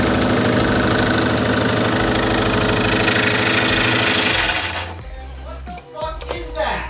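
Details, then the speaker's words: 2004 Subaru WRX STI EJ, reused rod-and-piston short block of unknown mileage, second start: loud rapid regular knocking about three per second, fading at shutdown; judged rod knock or severe piston slap, then AC suspected, unconfirmed. "that sounds like rod knock it's either really [ __ ] bad piston slap or rod knock dude"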